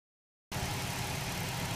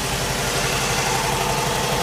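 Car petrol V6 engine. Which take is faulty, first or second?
second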